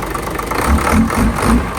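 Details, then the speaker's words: Hino JO8C diesel truck, in-line injection pump, 210 hp, just started very easily: deep steady idle with regular low throb, no knocks or rattles; normal idle. "โอเคเดี๋ยวเรามาลองสตาร์ทเครื่องกันครับโอหติดง่ายมาก"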